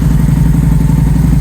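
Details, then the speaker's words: Victory Jackpot V-twin motorcycle, 878 miles, stage 1 Bow X exhausts, idling: deep, even, throaty thump with steady rhythm and no ticks or knocks; battery healthy, runs smoothly; normal idle. "Battery sounds healthy. Runs really nicely, smoothly. Nice deep throaty sound."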